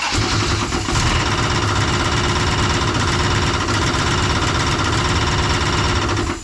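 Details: Dodge Charger 440 big block at raised rpm, first run after fuel system hookup, oil pressure 40–60 psi. Loud rough run with a dense metallic clatter riding the revs. The crankshaft is hitting an oil pickup tube pushed up by a crushed pan.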